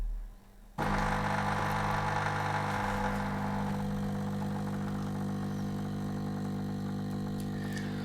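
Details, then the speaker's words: New DeLonghi La Specialista Opera EC9555 espresso machine, already warmed up after a couple of shots, pulling an espresso: steady low buzzing hum holding constant pitch through the shot, quiet for a vibratory pump; normal pump operation. "I think you can hear right now, it's quite quiet. For a vibratory pump machine, it's quiet."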